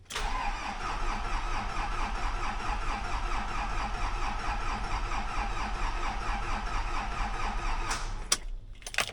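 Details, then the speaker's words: Isuzu Grafter 3 L diesel truck with very dead batteries, jump-started from a booster pack. Clicking, then steady rhythmic starter churn for about eight seconds, then quiet. Owner thinks new batteries are needed. "hear it clicking that means it's trying see if she starts"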